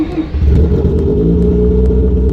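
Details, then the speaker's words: Mazda RX-7 13B rotary after replacing damaged fuel injector O-rings, test start: fires and settles into a smooth, even idle with a faint hiss likely from an uncovered intake hole; no odd noises. "all right so overall good test run I didn't uh hear any weird noises there was a bit of a hissing sound but I think it's partially because of our intake and one of the holes I haven't covered up yet"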